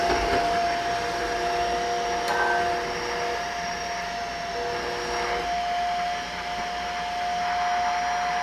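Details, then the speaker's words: Shark vacuum after picking up two cups of baking soda: a steady high motor whine with a strained, slightly wavering tone, as if the fan is choking on fine powder loading the filter. "i don't know if you can hear that but it doesn't sound particularly happy after two cups of baking soda"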